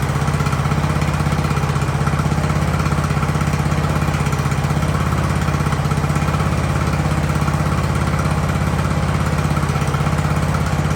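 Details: Ariens hydro-drive riding mower, sat at least two years, in about 30-degree cold: small single-cylinder engine holds a steady, even idle with a regular low putter and no stumbling; runs healthy.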